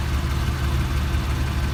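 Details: Engine at steady idle with a light, regular top-end tick over the low rumble; origin unknown.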